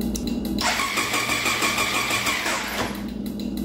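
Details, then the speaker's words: 1999 Triumph Daytona 955i parked for years, after reconnecting a found ground possibly for the ECM: starter whirs with an even cranking beat but no firing at all; still no spark. "still no spk I don't even know what the hazards are on this thing honestly"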